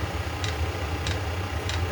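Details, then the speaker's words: eBay 8 kW Chinese diesel heater throttled down near setpoint, workshop about 15 °C (60 °F). Soft fuel-pump ticks about every 0.6 s over low fan hum. Normal slow clicking at low output. "see if it turns back on automatically or if it just clicks away real slow to maintain the temperature"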